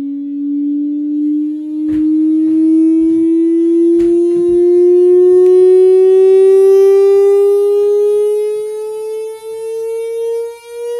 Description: Same buzzing sound while attached via HDMI to an Insignia Roku TV.